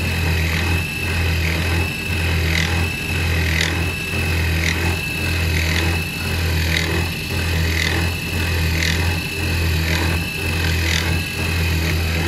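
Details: CNC1310 desktop router machining steel after encoders were added to its stepper motors to stop step-out, allowing higher cutting settings (Fusion360 CAM). Steady spindle hum with even cutting pulses about once a second and no stalls or skipped-step thumps: normal cutting.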